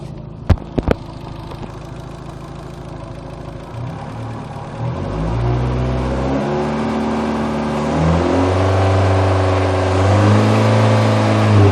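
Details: Second-generation Neon engine: two sharp knocks at the start, then revs rise in steps with a droning tone; strange engine noise, owner unsure of the cause.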